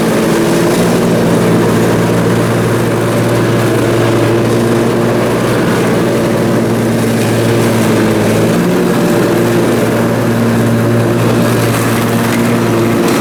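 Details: Briggs & Stratton Intek M44 twin engine after a full twin-carburetor tear-down and clean: steady, even low drone under load with no surging or hunting; runs way better and holds speed. Normal running after repair.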